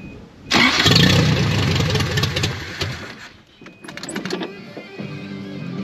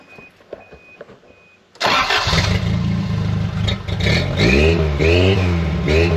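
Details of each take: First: 1983 Toyota 22R just fitted with a new Flotech short-tube header and new gasket on the old studs, running open headers with no exhaust yet: cranks and catches with a loud, raw, crackling bark, then settles to a rough, uneven idle. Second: 1983 Toyota 22R with Weber 32/36 carburetor, new short-tube header, 2.5 in straight pipe and 3 in Thrush muffler: starts quickly into a deep even burble with clean throttle blips; normal healthy idle.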